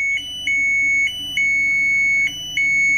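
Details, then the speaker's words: LG Smart Inverter washing machine control board, no display and won't start, after unplugging and replugging then pressing power: high beep changing tone in uneven repeating pattern with LEDs already lit; abnormal, control chip and LEDs failed. "teman-teman dengarkan ada kejanggalan ini enggak normal. Nah, ada kejanggalan, Teman-teman."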